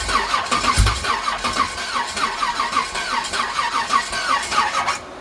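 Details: Old Chevrolet S-10 work truck on a carburetor: uneven, lumpy idle with irregular stumbles and pops; cause unknown at first, later a destroyed cam is believed to be the cause.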